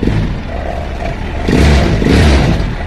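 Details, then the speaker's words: Indonesian three-wheel motorbike with lost ignition, started with a battery jumped directly to the CDI, bypassing the ignition key. Engine catches and runs with a rough, uneven low throb and brief rev swells, firing and keeping itself going. "What will our motorbike look like without the ignition key? Because it doesn't go directly, it doesn't go into the body cable, yes, we just crank it straight away,"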